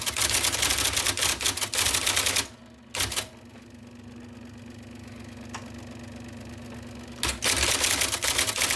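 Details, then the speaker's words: 1979 IBM Selectric II (non-correcting) typewriter, restored after a miswired plug, cleaning, flushing and lubrication: crisp, rapid type-ball strikes in bursts, then steady motor hum during a pause before typing resumes; normal, smooth operation. "Also, that tremendous, one might even say beautiful noise of the type ball hitting the paper."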